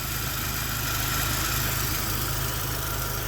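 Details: 1991 Ford Mustang LX four-cylinder, 173,000 km: steady low idle beat with faint unevenness in the pulses, no knocks or squeals; fuel pump noise noted, owner says it runs like a clock; slightly rough idle.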